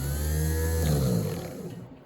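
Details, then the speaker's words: Yale 4,000 lb forklift, starter powered directly from battery bypassing solenoid: starter spins freely with high whir and coasts down with no engagement clunk; pinion gear not kicking out to engage flywheel, causing no-start. "That wheel is not kicking out, which would engage in the flywheel right here. So that's why our forklift's not starting."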